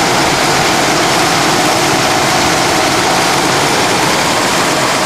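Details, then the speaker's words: 1991 Mercedes-Benz 420 SEL, 180,000 miles, before a heat-soak test for a suspected ignition breakdown: steady, smooth, even idle with a constant hiss, no misses or knocks, but an annoyingly high idle still undiagnosed. "Basically annoying high idle, which I still want to try to diagnose and fix, the engine is running very well, nice and smooth."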